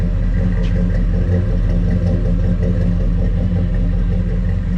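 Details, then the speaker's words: Car with V8 and dual exhaust, heard from the rear: deep, burbling idle with an even rumble and no ticks or knocks; nice sound. "because it's running it's running well everything works everything's here as you can see and here it's got a nice sound to it in the back"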